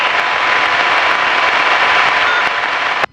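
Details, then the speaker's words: Piper Cherokee number 1 comm radio on 123.0 in flight: loud steady static hiss, no voice, cutting off abruptly; repaired once but fault returned, owner suspects squelch (automatic) needs tuning. "For some reason, as I've probably told you numerous times, number 1 radio, 1230 has got problems. It sounds like this."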